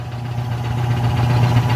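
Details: Rebuilt mid-1940s Surge milking vacuum pump, new electric motor, fresh oil, regulator turned down to 13: steady low hum with even pulse, building slightly then holding smooth, no knocks or rattles; running healthy.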